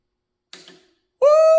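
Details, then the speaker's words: Vehicle systems check before first fire-up, engine not running: crisp single click as the switch is thrown, then a steady tone; the solenoid pulls in and works. "Yeah, I can hear that. You hear the solenoid?"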